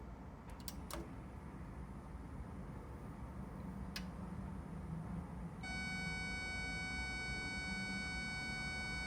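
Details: Cambridge Audio DacMagic Plus DAC, about 10 years old, at power-up: a cluster of steady high-pitched tones that used to fade after a 10-15 minute warm-up but now persists; capacitor whine from aged capacitors.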